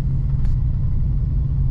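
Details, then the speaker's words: 4.6 Dodge Durango after an ECU replacement, check engine light still on, running low on fuel; steady even rumble held at raised revs with no stumble or skip; revs high but not missing, drives, shifts and throttles easier. "it sounds like it's just ribbed up high it doesn't sound like it's missing and you can tell that it drives easier shifts a lot easier"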